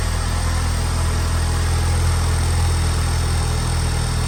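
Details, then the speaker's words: 2021 Honda Civic Type R (FK8) idling after PRL intercooler and charge pipe install: steady low even idle, smooth unbroken rumble, no knocks or misses until shut off; engine healthy. "So yeah, we're gonna start it up. Hopefully everything's good."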